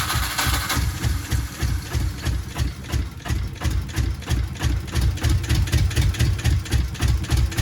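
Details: Subaru GC8 with EJ207 STi shortblock, first start after fitting injectors: lumpy, uneven dum-dum idle about three beats a second; one bank of the boxer has never fired, plugs pulled on that side, ECU log shows no vacuum.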